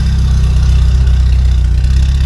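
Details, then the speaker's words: Yugo with a DIY exhaust, old Bosch injectors ticking and valves freshly adjusted and shimmed: a deep, steady, even low exhaust rumble with no rasp or leaks; a healthy, slightly throaty note. "Listen to that little injector tick. Those old Bosch injectors have such a tick. I adjusted the valves, shimmed it properly. Sounds really good. Exhaust sounds good too."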